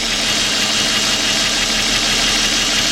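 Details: 2004 Nissan Maxima 3.5 V6 running rough with P0301 and a flashing check engine light: idle has a slightly uneven, loping beat under the hiss, a regular skip from one dead cylinder; ignition misfire traced to the cylinder 1 coil.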